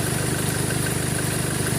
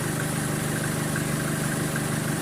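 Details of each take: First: 2013 Chevrolet Colorado at idle, with the A/C high-side pressure over 200: a steady, rapid tick rides over the even idle, from a jumping, ticking alternator pulley; a worn pulley, fixed by replacing the alternator pulley. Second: 2013 Chevrolet Colorado after the alternator pulley was replaced, idling with the aircon on: steady, even idle with no ticking or chirp from the front; the pulley noise is gone and it runs normally.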